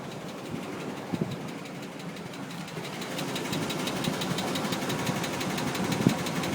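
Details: 1998 Chevrolet Tahoe 5.7 V8 idling after intake gasket replacement: loose, uneven knock ticking at nearly four per second over the engine drone, with low oil pressure; engine knock, cause unknown.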